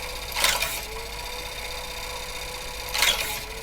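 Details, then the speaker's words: HP 9120A printer mechanism on first power-up after reassembly, outer cover off, no paper, slightly low voltage: two short mechanical clatters about 2.5 s apart over motor hum that sags under load; normal feed cycle. "It should move quietly, fairly quickly, and then go straight back and park itself back in the home position."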